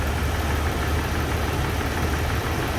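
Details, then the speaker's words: Nissan Pathfinder 3.5 V6 with unstable idle; the oscilloscope shows non-uniform ignition coil peaks, some high and some low, so an ignition coil fault is suspected. Low idle rumble with a slightly uneven, lumpy beat. Rough idle from ignition coil fault. "Hola compañeros les compartimos este diagnóstico de un Nissan pathfinders 3.56 cilindros el mismo en estos momentos Presenta una inestabilidad"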